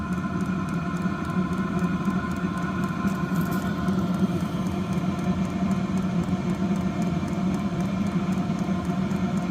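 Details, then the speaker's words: New Vevor 8 kW diesel heater, first start after assembly and priming, running wide open at full heat: steady even burner and fan roar, no surging or popping; running smoothly, left to run to burn off residue. "She's running. I'm gonna let it run for hours just to burn off any crap that's in it, whatever."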